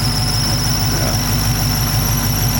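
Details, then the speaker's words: Squeal at idle on a 6.2 Hellcat: a steady high-pitched squeal over an even idle. The owner suspects a failing pulley bearing, not confirmed. "I mean I'm thinking it's probably just one of the bearings is going bad on there one of the pulleys"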